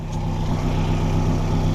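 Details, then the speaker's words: Nissan GTIR (turbo) first startup after a clutch and lightened-flywheel replacement, fitted with a 3-puck clutch and an Odyssey battery. The AFR gauge read rich then lean and the water temp sensor is suspected bad. A steady, even low idle with regular firing pulses and no misses, ticks or knocks. "there's a startup and then she is alive right now she's on it seems good"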